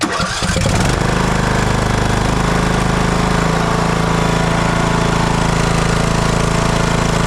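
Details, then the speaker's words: TroyBilt lawn tractor that had sat, after aftermarket solenoid fix, restarted on choke to warm up before an oil drain: brief crank, then steady even idle with no rise and fall in speed; running normally. "choke I'm going to let that engine get warm cuz I'm going to drain the oil out of it"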